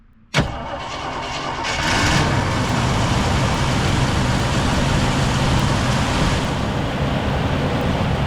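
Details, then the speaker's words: 1979 Jeep Cherokee Chief S Wide Track, believed a 360 V8, non-running and rusty, primed with spray and boosted on a cold, rainy day. It cranks, catches within half a second and settles into a steady, even run with no knock or tick, though it spits fuel. Normal running after first start. "Oh yeah, baby. Woohoo. And she's not knocking. She's not ticking."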